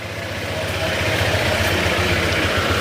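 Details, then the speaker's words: Honda ADV160 scooter at 31,941 km, before repair, electric fan hiss behind: idle with light metallic tick and rattle over each firing pulse, noisier than it should be; engine rattle and ticking at idle. "Pero yung tunog ng makina, dito medyo maingay kasi yung background natin dahil dun sa electric fan. Irinig niyo na yung tunog na yan. Yung maggarag-gar tapos malagitik."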